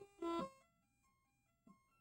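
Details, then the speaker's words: Commodore 64 SID sound chip, during inspection and power testing of a collection machine: clean synth notes with crisp attacks and clean decay, no crackle, buzz or dropouts; the chip works fine. "okay so the sid sounds okay so far that's so hard to come by"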